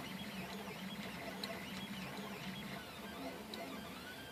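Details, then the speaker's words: 3D printer at 200% speed (80 mm/s print, 40 mm/s outer shell): fast stepper buzz with a busy chattering rattle from loose frame screws; the rattle stops when the screws are held. "So if I grab these screws, all the rattling goes away. If I let go of the screws, you can hear the rattle."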